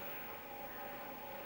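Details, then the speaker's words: Apple Atmark Pippin console, nearly 30 years old, first power-on after shipping from Japan: steady loud whoosh with a thin constant whine; noisy cooling fan. "Wow, that's fan noise is just so noisy."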